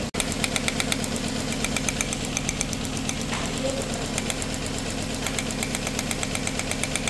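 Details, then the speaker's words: 2007 Nissan Tiida/Versa petrol engine at idle with a P0300 misfire, heard from the rear: uneven, lumpy beat and ticking chatter with one cylinder dead despite new coil, plug and injectors; the cause is no injector pulse. "आपको अगर आप कोई भी गाड़ी आप misfire कर रही है तो पीछे जाके आप चेक करेंगे तो उसमें मिस वायर आपको ऑटोमेटिकली पता चल जाएगा कि इसमें कोई सिलेंडर काम नहीं कर रहा।"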